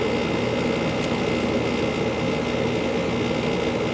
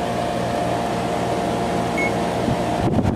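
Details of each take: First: 2-ton through-wall General Electric garage AC, believed from 2002, just after startup: steady hum with rough buzzy texture; compressor rattles at first, quiets, then sometimes rattles again later; source not pinned down. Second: 2-ton through-wall General Electric garage AC, believed from 2002, fan running: smooth constant airy hum, steady low drone, no rattling or buzzing from the vents.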